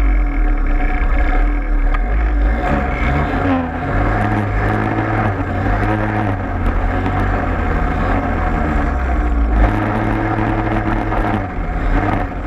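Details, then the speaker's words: Peugeot 103 moped two-stroke running, no kill switch: loud steady low drone with a coarse shaking buzz under it that never clears, like a big vibration; source unknown. "T'entends pas un bruit bizarre un peu là? Comme une grosse vibration?"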